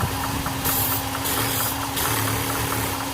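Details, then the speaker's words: 1976 Ford 390 V8 (FE) after a distributor replacement with the timing left as before: a steady, even idle with a smooth, level drone and no misses or knocks. No adjustment was needed. "all right you guys look at her run as it turns out i didn't have to make any adjustments the timing was set perfect before"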